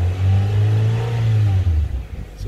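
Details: 2002 Honda Civic, 215,000 on the clock, after junkyard fuel pump replacement for hesitation and stalling: engine revs up smoothly, holds, and settles back without stumbling or misfiring, picking up cleanly.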